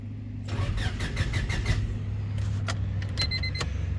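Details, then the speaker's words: EK Honda Civic SOHC VTEC after a new fuel pump, fuel pressure regulator and fuel filter: steady cranking at about five turns a second with no pump whine and no fuel delivered; cranks but won't fire, relays and fuses next to check. "I'm going to trying to start it a couple times. See if maybe that helps it. But so far, I don't even hear the pump. Start it a couple times. Same result."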